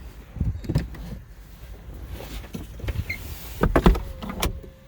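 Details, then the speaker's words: Mazda MX-5 with an aftermarket automatic roll-up window controller, after a window system reset: a short motor whir, then soft thumps as both windows close smoothly and fully. "Both windows went all the way up. Very nice."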